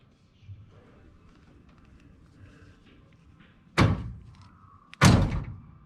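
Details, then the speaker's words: 1986 Buick Grand National, after replacing a questionable power door lock relay with a known good one, testing switch: two crisp solid clunks, lock then unlock; power locks working properly. "all right how about that so my issue was a questionable power door lock relay"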